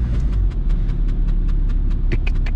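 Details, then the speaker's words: VW Golf Mk3 1.9 TDI 90 hp diesel, manual, driving on a rainy road: quick regular light ticks about five a second, in time with the wheel, over low road rumble from the rear; the handbrake cable is rubbing the rear tire. "some noise is here from the back i should check what's going on with this old lady"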